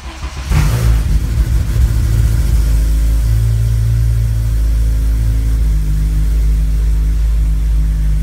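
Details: Honda running E85, Hondata FlashPro with a revised cranking fuel table, cold after sitting over 12 hours: fires on the first crank and settles at once into a steady, even idle with a deep, smooth note; normal cold start.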